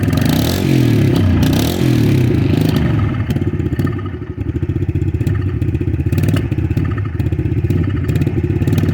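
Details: Cold Yamaha TTR 110 single-cylinder with stock carburetor and choke off: stumbles and bogs as the throttle opens, uneven chuffing instead of a crisp rise. The stock carb is blamed, with a KLX 110 carb swap as the fix.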